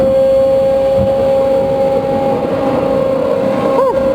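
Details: Case CX210B excavator: steady mid-pitched whine with a higher tone above it over the engine, starting around five minutes of work as the machine loses power; main hydraulic pump noise suspected, cause unconfirmed.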